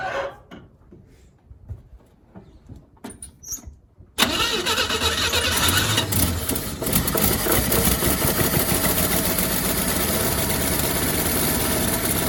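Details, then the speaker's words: 1957 Chevy Bel Air after sitting 30 years, gravity-fed fuel, idle turned up; water pump or generator seized: engine idles fairly well with sharp raspy puffing tick in time with firing; massive exhaust leak. "actually running pretty good the massive exhaust leak over here oh my god"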